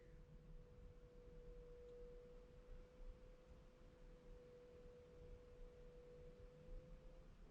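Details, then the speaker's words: 2021 GMC Sierra 3.0L Duramax after fuel filter change, priming cycle run three times, heard with door open: faint steady mid-pitched whine for several seconds, fuel pump priming normally, no leaks underneath. "can hear it running if i open the door i don't know if it's gonna do it okay see you can hear it running you can hear it running no leaking or anything like that under it"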